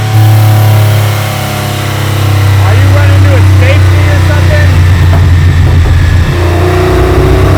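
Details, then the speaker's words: Aston Martin V12 swapped into a Foxbody Mustang, on the dyno while getting warm: engine pulls up, then hangs flat at one steady pitch instead of climbing; the tuner suspects a rev limiter of some kind, not confirmed. "Yeah. So it's running into some kind of limiter."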